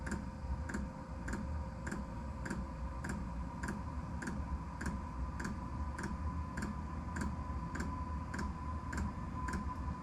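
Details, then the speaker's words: Diesel air heater at start-up, pump set to about 4.5 Hz: sharp even ticks over a low fan hum, the fuel pump metering normally a few minutes into the start cycle. "I hear that ticking that's the fuel pump pumping so it's gonna get ready to start working"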